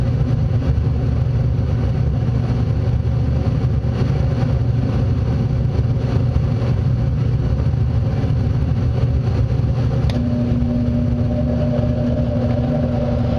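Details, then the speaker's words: Furnace blower fan running after the inducer, igniter and flame sequence; a steady, even low whoosh with a faint hum joining near the end, furnace cycling and working normally. "So, that's the fan came on and ran. So, everything on this furnace is working fine."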